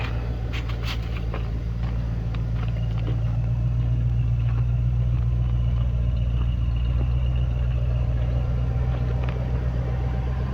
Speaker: As you can see, it runs really well, starts nicely. Door buzzer's obviously working. Runs great.